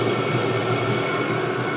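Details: All-in-one 12V/24V/240V diesel heater at full output on a 24V supply, body temperature 130°C, set temperature 12. Steady rushing fan with an even whine, no surging or popping; burning cleanly.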